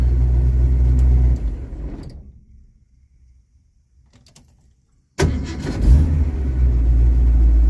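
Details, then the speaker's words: 1982 Ford Mustang GT (Fox body) with hard warm starts, fully heat-soaked with temperature gauge at top of normal, shut off and restarted: cranks and catches at once into smooth idle after cleaning corroded, loose wiring connections and grounds. "like brand new Incredible those little bitty wiring tricks did all of that"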